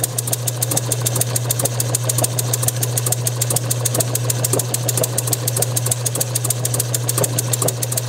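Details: Bessemer model engine spun by an electric motor on a test bench, timing set about 15 degrees before top dead centre. Steady drone with irregular sharp pops a little over two a second. Uneven firing; owner thinks the timing should be slower.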